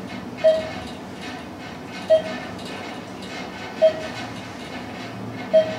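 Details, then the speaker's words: Ride in the Church Ave. Garage elevator in Roanoke, VA, after the Thyssenkrupp modernization with a Hollister-Whitney drive system. A smooth, steady low rumble with a soft chime about every 1.7 seconds as floors pass, and no grinding or jerks: a normal, healthy ride. "but here we go ride on the new elevator the diesel ducey elevator the church avenue garage let's listen to it"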